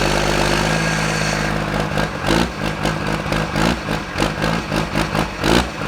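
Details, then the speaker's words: 2000HP Cummins diesel drag truck moving under its own power for the first time in about a year and a half. Uneven lope with lumpy surges about twice a second; owner says it's not running right, cause unknown. Rough running. "Wow, I know it's not running right. Man, that sounds cool."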